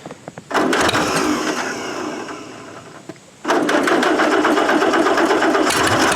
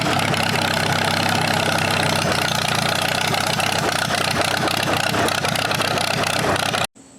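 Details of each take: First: 1947 Allis-Chalmers B tractor, revived after eight years sitting, just after cleaning spark plugs: engine catches, dips, then stumbles with irregular dropped firing pulses; slightly better but still misfiring, owner suspects fuel starvation at carburetor. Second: Circa-1947 Allis-Chalmers B four-cylinder tractor revived after sitting eight years: catches and settles into a steady, even idle with no knocks or stumbles, then shuts off; it still falters under load, with fuel starvation suspected.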